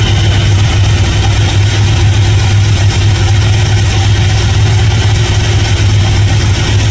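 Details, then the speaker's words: 1977 GMC Sierra Grande, small-block Chevy 350 V8, after valve and roller rocker adjustment: deep, even burble at steady idle with no ticking or misses. Idle is normal, the valvetrain sounds quiet, and the engine runs smoothly. "Idle's perfectly good. I'm going to put a tack on it and see what uh RPMs we're at, but I think we're right where we need to be."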